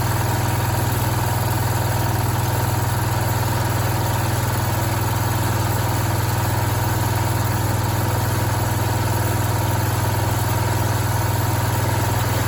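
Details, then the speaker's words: Free, long-unused Bolens garden tractor with a rebuilt Kohler 16 hp engine, after work on an oil leak; steady, even low idle thrum with no knocking or rattling, fires right up and runs well. "That engine runs amazing. Yeah, it fires right up, idles, doesn't have any weird rattling or knocking or anything, and it hasn't been running a really long time, I can tell you that much."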